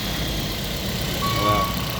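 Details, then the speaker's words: 2010 Toyota Vios Gen 2 just after engine overhaul (new piston rings, gasket set, bearings, water pump), first start: steady, even idle with a soft smooth hum, no knocks, ticks or misses; engine healthy. "anteng ya mesin kita. Kita biarin hidup dulu ya sekalian running ini baru naik ya guys"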